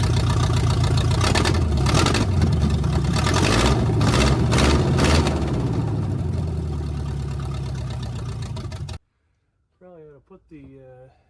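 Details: 1971 GMC truck V8 just fitted with block hugger headers: it turns over and catches, then runs lumpy and uneven at idle as if a cylinder isn't firing. The owner says the idle needs work. Rough idle, cause suspected, not confirmed.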